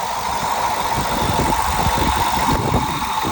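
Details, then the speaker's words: 2013 access-cab salvage truck at Copart, 120,000 miles, remote started. A little rough at first, it settles into a steady idle with an even low thrum and a faint whine, no knocking or misses; the engine sounds healthy. "okay a little rough at first but getting better not bad engine sounds good kind"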